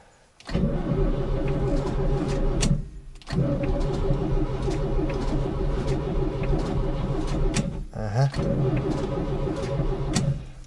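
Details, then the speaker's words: ZAZ 968M after standing, battery full: two long bursts of steady starter cranking, engine never catches. Barely any fuel coming. Crank, no start. "так чуть ли ни хрена не идет бензина может мало надо еще принести"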